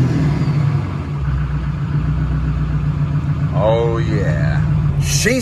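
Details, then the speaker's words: Newly built SoCal Diesel twin-turbo 1,000hp Duramax diesel, just fired up and not warm yet: deep steady rumble with gentle blips and faint turbo whistle; smooth, even, healthy revving. "all right so I'm not gonna get on it too hard because we obviously just fired up and she's like not she's not really warm at all but listen to these [ __ ] terpskies oh yeah"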